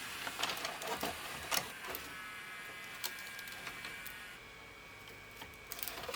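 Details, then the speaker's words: Symphonic VHS/DVD recorder combo, cold: quiet motor whir with irregular clicks stopping partway; electronic cleaner next. "okay uh I did get it to pull the tape all the way up but it's still not uh play in it"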